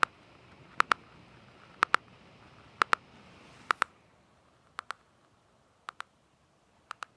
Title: MSI GS60 Ghost Pro 3K Ticking Sound Problem